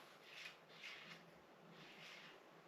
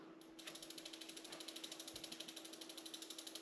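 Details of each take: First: 1990 Raleigh Reynolds 501 hybrid trail bike: soft swishing rubs as the front wheel spins, the brake pad catching a buckled front rim that needs truing; there is also play in the fork. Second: 1990 Raleigh Trail hybrid bike with Reynolds 501 frame, near-mint and barely used, all-original parts, rear wheel coasting while bearings are checked: crisp, even clicking of about four per second, running extremely smooth; normal freewheel ratchet.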